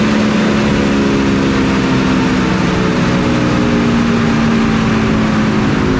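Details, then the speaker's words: Engine just started cold after sitting iced over; steady even drone under held throttle with no misses, spits or sputter, surprisingly smooth versus its usual cold spitting. "But that time it was very smooth, kind of surprising. Go ahead and run it up."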